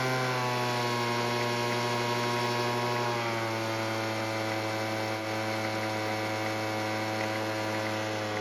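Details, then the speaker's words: Weed Eater leaf blower, small two-stroke, after carb tuning with the L screw richened a quarter turn: steady buzzing, settling slightly lower and running evenly without stalling; normal running after fix. "And luckily with a bit of tuning and mainly adding more fuel with the L screw, it now starts and runs."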